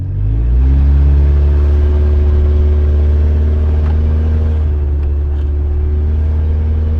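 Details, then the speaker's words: Honda CR-V test drive after its catalytic converter was stolen (cut off): deep, booming, unmuffled exhaust drone under acceleration, sounds like a truck, no back pressure; needs a new catalytic converter and a drive shaft. "Well, it sounds like a truck, but I mean it drives like a CRV."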